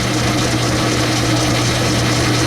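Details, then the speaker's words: Old 10-inch Logan lathe turning aluminum 6-71 GMC blower studs for a 331 Hemi, speed medium-low, 15 thousandths in (30 total), double belt setup; steady even motor hum with no bogging or chatter, normal cutting under load. "taking it real nice i have my speed set on medium low speed so so far so good"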